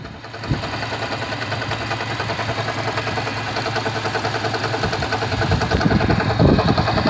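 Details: Car engine at idle just after a cold start: steady repetitive knock over the running sound, present since April.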